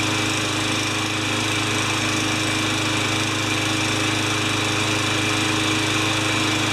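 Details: Craftsman 20-inch side-discharge mower on clean gas with a new air filter, oil change still pending, runs with a steady, even drone at constant speed, no surging, misses or hunting; normal running.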